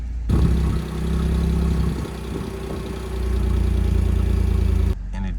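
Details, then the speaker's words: B8 Audi S4 after replacement transmission fitted, hood open, just started: deep even idle rumble with no misses, ticks or knocks; idles nicely, only tyre pressure light on, though car smells rich. "the hood is open right now idles really nicely and it sounds amazing too"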